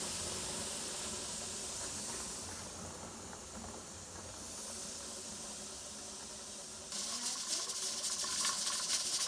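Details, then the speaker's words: Pressure canner with chicken stock coming up to pressure: steady airy hiss of steam venting, louder and sputtery near the end; canner venting normally. "Okay, that's your famous choo-choo going there. 10 pounds. Got the stopper on."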